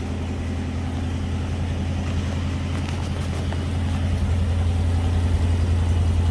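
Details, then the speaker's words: 1965 Mustang V8, first start after years sitting, 650 CFM Street Avenger carb, warming up with electronic choke possibly not working: deep even burble at slightly high idle, no misses or ticks; healthy. "Listen to that V8 purr. God, oh, love it."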